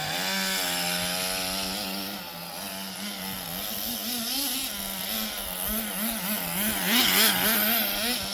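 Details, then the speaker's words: Restored 20-year-old HPI Nitro Rush Evo nitro buggy after tuning, driving around the garden: crisp high buzz rising and dipping smoothly with throttle, no misfire; running normally. "So there you go. As you can see, 20 odd year old nitro buggy, completely working as it should do."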